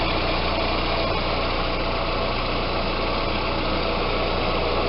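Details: Audi A4 after power steering fluid flush and change: even, steady idle with no hum or whine from the power steering pump; quiet and normal, the pump no longer hums.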